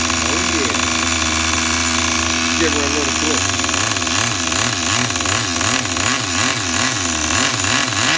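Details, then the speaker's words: Tamiya TGS-R nitro RC engine on factory carb settings, just restarted. Buzzy idle that swells and sags about twice a second, uneven and near stalling; the idle is set too low. "Oh, I got the idle actually a little bit too low, people, because the last time I tuned this up, I had it tuned up pretty good when I was bench tuning this on the bench."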